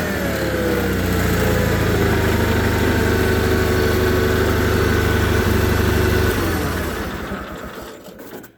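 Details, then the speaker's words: John Deere 318 garden tractor with Onan B43G twin after OEM points and condenser and full tune-up (plugs, wires, filters, oil, timing, carb adjusted): steady even beat, revs smoothly, shuts down cleanly, running good. "So we've got this one running good."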